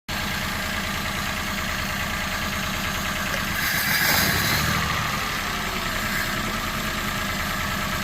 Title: Citroen C1 1.0 misfire detection